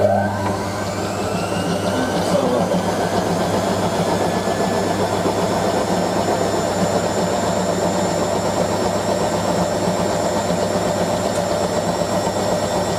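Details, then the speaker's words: Hotpoint 9530 Electronic 1000 Plus, Programme 4 50°C coloured synthetics, polyester/cotton load: the final short spin makes a 500 RPM burst, then a quick burst at 1,000. Motor whine climbs smoothly in pitch, with no scraping or banging; normal spin ramp-up. "But actually the machine does a 500 RPM burst and then a quick burst at 1,000. But you can obviously just enable slow spin will go up to 500 RPM. Basically, just speed up in the spin."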